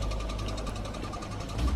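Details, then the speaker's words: Cadillac Northstar engine, not started in a year, warmed up: steady idle with a light, fast, even tick over the low hum; cause unknown, owner wonders about the water pump. "Well, this car hasn't been started in a year, and now it's making this tickety noise."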